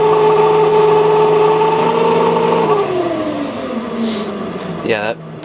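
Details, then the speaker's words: 1995 Sharp Comfort Touch 10,500 BTU air conditioner: steady fan motor hum with a rough, dry whirring, and the pitch sags partway. The worn, dry ball bearings needed oil and were ultimately replaced as beyond oiling. "sounds terrible that needs a lot of oil and of course you can replace these bearings too because they're ball bearings but I'm going to try oiling it first"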